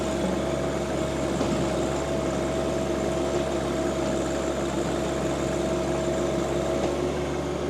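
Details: John Deere 2025R compact tractor driving a Tarter RT205 rototiller after its seized top gearbox (oil leaked out) was replaced. Constant drone and steady mid-pitched gearbox hum with no grinding, clunks or slipping; healthy while tilling.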